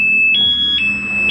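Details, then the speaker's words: Aftermarket alarm on a Honda CBR250 FI motorcycle, armed in sound mode, triggered by moving the bike: a loud siren alternating between two tones about every half second with no engine running; the starter is disabled while armed. "Alarm aktif dengan mode suara. Kalau misalkan digeser seperti ini, nah, bunyi ya. Kalau misalkan dibobol, dia bunyinya keras."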